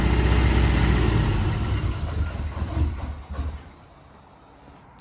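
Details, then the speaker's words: Ford Escort RS Turbo S2 barn find, first start after engine overhaul with new cam followers: quiet but lumpy idle with a regular stumble before dying, running on only three cylinders, a missing lead suspected. "it is very quiet but it's missing it's only running on three i'll have to go through check all the leads"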